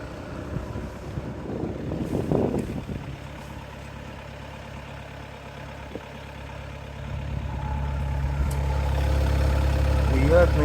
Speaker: правильный звук работы мотора. А холодный такой звук.